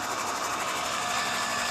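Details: Vintage International Harvester truck, unrun for 21 years, cranked while checking for spark: starter spins the engine steadily but it never fires; no spark, no start.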